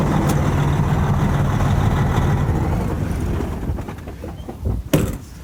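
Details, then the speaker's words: Detroit Series 60 diesel truck with a crank-no-start fault, after a new ECM and injector harness did not fix it. Runs rough with injector number two unplugged, then winds down. The shorted number two injector was shorting the whole injector circuit. Shorted injector. "injector number two shorted out and it's causing all the other injectors to basically short out in that circuit"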